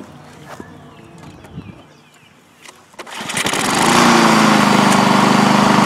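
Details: Lawn mower that wouldn't start, fixed after draining old fuel and putting the filter back; after a few pulls it catches and holds a steady, even buzz with no misses or surging.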